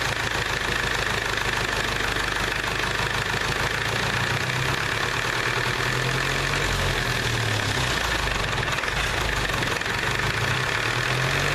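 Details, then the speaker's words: IH B275 diesel tractor, bought non-running: steady diesel clatter at idle with even beat, firing on all four; injection rack was stuck, governor suspected bad, not confirmed. "sounds like it's running on all four"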